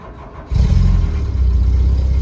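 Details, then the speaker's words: VW Mk2 Golf GTI, off the road, starting: quiet for half a second, then catches at once and settles into a strong, even run; owner says it has never failed to start except for flat batteries. "It's actually never not started. Obviously it's had flat batteries, but it's never not started for any other reason than a flat battery. Doesn't it sound good?"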